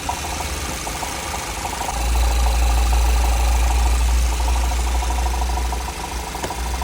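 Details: Audi A6 C7 facelift 2.0 FSI petrol idling: steady low drone with a fast, even ticking chatter; unidentified extraneous noise, cause unknown.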